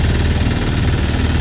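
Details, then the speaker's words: Sailboat diesel inboard conversion (version 3.0, new belt drive) cruising at about 6 mph on choppy water, 8 mph winds: low steady diesel drone at light throttle, even beat, no knocks or rattles; normal cruising. "Kind of choppy today. About 8 mph winds. Here's my 6 mph cruising speed right here."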